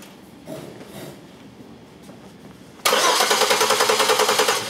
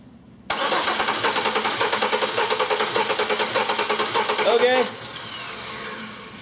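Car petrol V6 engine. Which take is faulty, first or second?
second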